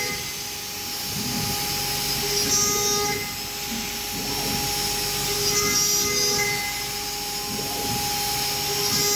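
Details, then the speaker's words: Arwing v4.5 CNC router at maximum spindle speed cutting 3 mm ACP panel: steady high spindle whine with hissing cut and slow recurring passes every few seconds; router cutting normally. "Tinggal kita tekan cycle start untuk memulai pengerjaan."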